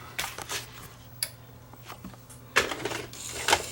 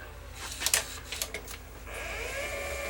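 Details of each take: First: Sony EDV7300 ED Betamax recorder after reassembling the mode switch and resetting mechanism timing: irregular clicks and clatters with uneven spacing, no smooth motor run; the tape mechanism mis-cycles instead of settling into play. Cause not confirmed. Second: Sony EDV7300 ED Betamax recorder testing modes (fast forward, search, Beta skip, rewind): a few light mechanical clicks, then a smooth rising motor whirr as the tape spools back to full speed; transport mechanically working well.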